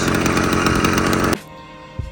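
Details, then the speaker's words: Motorized bicycle/moped two-stroke, restored Marketplace find with clutch still loose and unfixed, idling well about 20 minutes without adjustment; buzzy, steady, even running with no stumbling, then shut off: normal idle. "Nothing's exploded, so I haven't fixed the clutch, but it's idling well without any adjustment. New car's working good."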